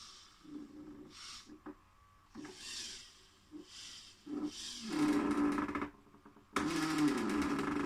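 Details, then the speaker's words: InMoov robot torso after fitting grease and ball bearings, tested via MyRobotLab: servo whine in bursts with each torso rotation over a rough creaking grind; owner suspects parts fitted too tight or ungreased and fears something will break. "I am a little worried about it because it really sounds terrible and I'm thinking something's probably gonna break"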